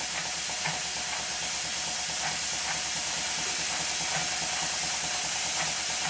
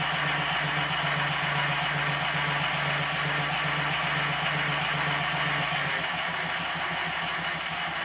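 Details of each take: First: Minnie-type model traction engine test-run on compressed air, not steam, slightly rattly with gears engaged: soft regular exhaust chuffs under a constant loud hiss; the regulator doesn't close fully and air leaks near the cylinder. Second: Minnie-type model traction engine, previously fired boiler, test-run on compressed air despite excessive crankshaft side play (connecting rod stops crank web hitting bulkhead) still to fix: even beat about four per second, light steady gear rattle; runs very well, normal.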